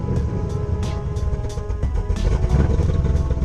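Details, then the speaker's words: 2010 Camaro SS V8 (BTR Stage 4 cam, long-tube headers, Borla axle-backs) idling after new header gaskets and spark plugs: deep even burble, no stumble or ticking; exhaust leak gone, misfire gone, though one passenger-side header bolt is missing. "all right well exhaust leaks gone missing a bolt on the passenger side header swapped out our spark plugs doesn't sound like it hasn't missed anymore so i think we're good"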